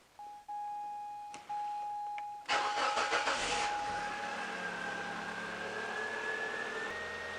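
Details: Mazda 626 with intermittent no-start, after repair improving the waveform and voltage drop: chimes, then a quick crank that fires at once into a smooth, steady idle; normal start and idle.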